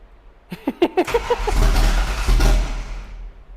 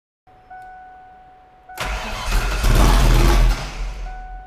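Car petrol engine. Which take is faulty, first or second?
first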